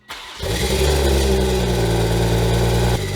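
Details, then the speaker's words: 2021 Toyota GR Supra rebuilt after a wreck, with aFe cat-back exhaust, catless downpipe and stage 2 tune, first start: the engine settles to idle with a screeching metallic grind at the front; starter suspected. "So, I think that starter is our issue. I gave it a little bit more space. The noise is a little quieter. By the way, exhaust sounds pretty good if you get over the fact that there's a screeching metal grinding noise on the front of the engine, but all right."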